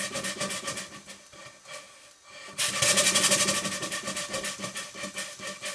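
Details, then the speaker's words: 2 inch scale Fowler traction engine model running on steam after oiling with steam oil: rapid regular beat about four a second, light knock over chuffing from worn crankshaft and flywheel bearings, less knocking than before. "as you can hear the steam oil is doing its stuff and there's not quite as much knocking going on"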